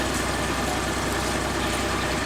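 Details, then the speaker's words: Suzuki Mehran Euro petrol car after fixing a no-start fuel pump problem; even, steady idle with a low regular throb, no knocks or misses, then cut off. Now starts and runs cleanly. "ठीक है, स्टार्ट हो रही है बिल्कुल उसकी। ठीक है, ठीक है दोस्तों, मैंने अब इसकी सली की टोटल ठीक है। बेहतरीन अब काम दे रही है। ये देखें, अब कोई मिस्टेक नहीं है इसके अंदर।"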